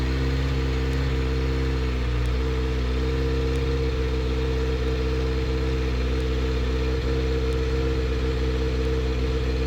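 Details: Kawasaki ZX6R being rebuilt, started right after draining water and filling coolant to purge air bubbles: steady, even idle with a smooth hum, no knocks or misses; running normally.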